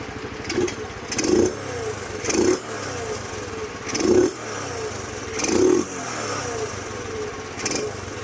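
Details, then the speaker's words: 2007 Honda CT110 after sitting three years, restarted on fuel tap "on" and kickstart after carburettor and pilot jet cleaning; the single answers throttle blips cleanly and returns to a steady idle, running well. "So uh, chuck the fuel on. Put it on to on. Kick it over. Runs great."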